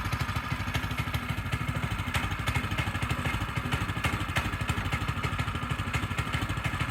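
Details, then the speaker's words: Frontier OS18 sawmill with new blade, resawing red oak under load: engine pulses steadily about three beats a second, no stumble or bogging; cuts through cleanly like butter, healthy. "Red oak, went through it like it was butter. Push it through with a finger."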